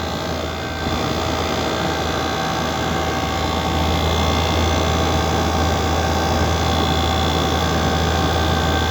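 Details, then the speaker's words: Window AC with compressor trip problem, after replacing the capacitor; compressor starts and holds a smooth steady low hum with fan air and condenser fan running, cover open; running normally. "Compressor কিন্তু আমাদের start হয়ে গেছে। Compressor start হলে কিন্তু এক ধরনের শব্দ হয়, এই যে শুনুন।"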